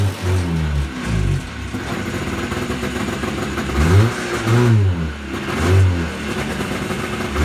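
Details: Yamaha Enticer 300 two-stroke snowmobile, year unknown, 120 psi compression per side, reportedly ran last winter; start-up after revival fires cleanly and revs up and down several times, pitch rising and falling smoothly with throttle; normal running and revving.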